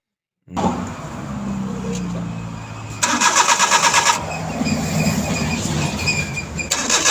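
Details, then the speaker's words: Suzuki DA63T with K6A engine cranks steadily for several seconds but never catches; no fuel comes out when checked, a crank-no-start. "Wala talagang lumalabas kaya hindi siya umaandar mga boss"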